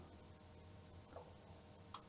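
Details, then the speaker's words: Philips VG 8235 MSX2 computer loading a game from emulated cassette (MaxDuino): a couple of crisp clicks over a low hum. This is the remote relay that starts and stops the cassette player, working normally. "i hear the clicking some relay is clicking that's uh the remote control that controls when the cassette player should stop and start"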